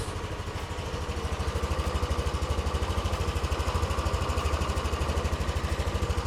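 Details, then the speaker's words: Yamaha Aerox 155 (old) tuned to 16 HP with porting, cam and ECU remap, first start after the rebuild, cold, idling at 1500 rpm: smooth but very dense exhaust note, and the revs rise and fall. Unstable, unsettled idle. "suaranya alus tapi yang gua denger dari knalpot itu kayak lebih padat banget suaranya ini gasnya masih naik turun di SC nya nggak stabil belum stabil di sini rpm-nya 1500"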